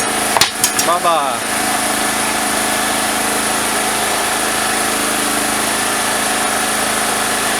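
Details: Single-phase petrol generator that would not start, starter cord replaced, fuel and filter checked, pipe fitted on the exhaust: a few cord pulls catch, then a steady even drone, no misses or surging; runs healthy.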